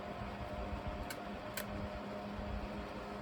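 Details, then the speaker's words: Himalayan Breeze frog fan model MEDIUM FROG-HBM-7009 with metal blade set, drawing only 16 watts: quiet, steady hum with soft rushing air; much quieter, strong right up front but airflow doesn't carry past 2-3 feet, weak airflow. "it's only drawing 16 watts. It is moving less air. And this kind of has the same problem. It's pretty strong right up front, but it doesn't carry at all."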